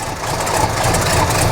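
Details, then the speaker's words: Squarebody 454 big-block after belt upgrade for big aftermarket alternator: steady even low idle rumble, no chirp, squeal or slap, belts running true; normal idle. "the truck is back uh everything's working good i've been driving it around for a while and the temp gauge is the temperature gauge is perfectly happy where it's at"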